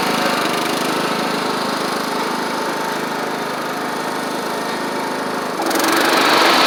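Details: Troy-Bilt Horse XP on a replacement engine, cutting passes; it didn't want to start that morning. Steady single-cylinder drone holding even under cutting load, brightening as the blades bite in. Healthy normal running under load.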